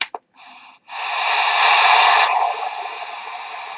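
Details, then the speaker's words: CB radio receiver with the squelch wide open: loud, steady static hiss across the band with no signal underneath; turning the squelch up removes the hiss when a station is close. "and that hissing noise can get very irritating after a while. So if the station is very close to you, what you do is you turn up the squelch and the hissing noise is gone."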